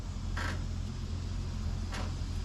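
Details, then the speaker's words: 1955 Chevy with body bolts missing, body rocked in the driveway: two short dry creaks about 1.5 s apart; creaking from unfastened hardware, bolts to be installed. "that's the creaky sounds you're gonna get when you don't have all your Hardware fastened on these things"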